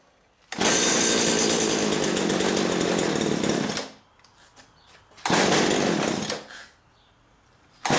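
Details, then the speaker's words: STIHL string trimmer after priming fuel down spark plug hole: bursts to high buzzing rev, dies, catches again, quits; runs only on primed fuel as carburetor pump isn't feeding, leaky damp fuel line found, pump to be cleaned. "Obviously we know it's a fuel problem. This thing isn't pumping very good."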